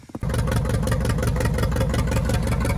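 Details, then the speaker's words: 1950 McCormick WD9 tractor, 73 years old, started and warmed up: fires and settles into a strong, even low thump with no misses or knocks; runs well, though it burnt a liter of fuel. "This is a 1950 McCormick WD9 tractor. Runs great."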